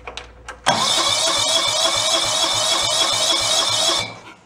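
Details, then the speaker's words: Free John Deere lawn tractor left sitting outdoors, water flushed from the gas tank: catches, runs rough and uneven about three seconds, then dies; hard start and stalling, owner suspects stuck carburetor or fuel pump diaphragms. "I have been feeling when the diaphragms in a carburetor in the fuel pump got sunk I don't think it's the level of the fuel"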